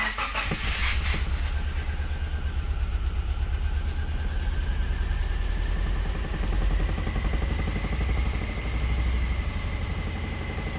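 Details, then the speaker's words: Subaru Impreza with codes P0301, P0303 and P0038, started after a roughly 15-second test procedure: the idle chugs with an uneven, stumbling low beat. Misfires remain, at least one and seemingly two, with no check-engine light. "yeah we obviously still have misfires so that didn't do [ __ ] we have at least one misfire but it seems like two"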